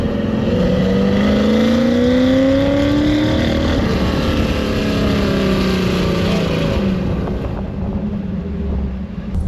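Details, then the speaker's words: 1975 Ford F150 with budget-built FE 390, revved to the top of the range: revs hard and cleanly, then breaks up into an uneven flutter; valve float from springs not matched to the camshaft, not rev limiter. "when we get to the top of the RPM range, listen for the truck to break up, because that's what valve float sounds like."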